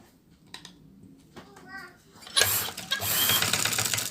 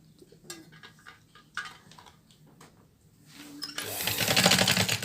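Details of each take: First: Sewing machine that ran heavy, noisy and jammed, after fixing the jam: runs at speed with an even fast clatter, the main noise gone; light residual noise should go with light oiling. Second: Sewing machine running heavy and noisy with the needle removed; scattered clicks then a loud, harsh, rapid clatter, the noise unchanged without the needle, pointing to a dirty, jammed shuttle.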